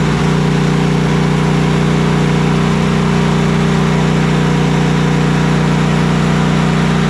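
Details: Cub Cadet Enduro XT2 SLX50 riding mower, 679cc EFI MTD engine, with an intermittent no-start, retested with the seat switch taped closed: a steady, even drone with no stumbles. Running normally; the old 2019 battery is also flagged for replacement.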